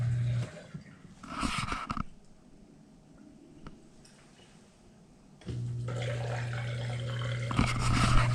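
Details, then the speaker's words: Bosch dishwasher after drain pump replacement: a steady low hum with water gurgling through starts after a quiet pause as the new drain pump runs normally and empties the tub, confirming the fix. "that sound is a functioning drain pump that means we have fix this"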